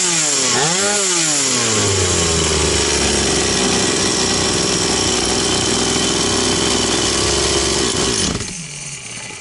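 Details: Stihl 180 two-stroke chainsaw after piston and crankshaft seal replacement: quick rev blip, then steady high scream with no hunting or surging; revs normal, no air leak anywhere.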